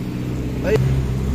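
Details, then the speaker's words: 2014 Ford Explorer, automatic, gasoline, previously no click, no crank, no start even after ECU repair. After the fault codes are cleared it starts and settles into a steady, even low hum with no misses or knocks. Normal idle. "Yun. Umaandar na. Ayan oh naandar na mga sir."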